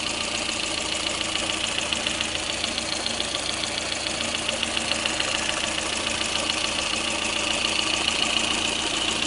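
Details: Lada Kalina engine at idle: steady light crisp metallic ticking knock about two per second over the idle; engine knocking, cause unknown.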